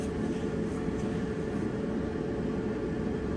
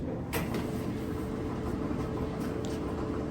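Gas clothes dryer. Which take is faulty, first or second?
second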